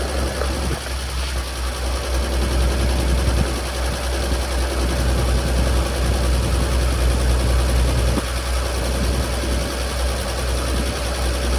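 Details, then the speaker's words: 1950 Chevrolet 4400 dump truck being revived after years of sitting, just cold-started on choke in neutral: steady, slightly lumpy idle with even low beat, no knocks or rattles; normal idle after cold start. "It's a neutral, clutch is in. I'm gonna romp on the gas a couple times. And start. Choke action."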